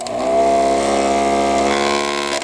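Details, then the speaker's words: Thumper Mini Pro 2 massager after disassembly, switch cleaning and lubrication: harsh buzzing motor with loud chattering rattle; cover likely not seated properly and vibrating against the housing. "That doesn't sound right. It shouldn't be making all that crazy noise."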